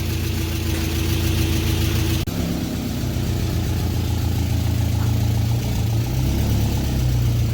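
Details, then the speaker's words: VW Beetle after oil pan replacement following a holed pan and metal in the pickup: a deep, even idle rumble with a throttle blip and no knocks or rattles, despite an exhaust leak. The engine needs no replacement. Normal idle. "Well, looks like this one's not going to need a motor. Lucked out on that one."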